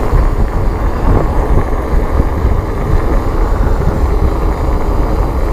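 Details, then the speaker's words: Norco Bigfoot VLT 1 electric fat bike with 4.8-inch tires: loud, deep, continuous gritty rumble rolling evenly, the normal noise of heavy fat tires. "the disadvantage with fat tires however are that the wheel and tire combination are quite heavy and it had a lot of weight to the bike they're also really noisy just listen to this"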